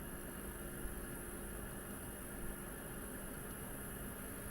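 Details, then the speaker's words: Espar D2 diesel heater after atomizer screen replacement, heard inside the van: steady even fan hum with a faint constant tone, no surging or popping; running normally, temperature rising to 40 °C. "it's increasing. The heater is on. And it works."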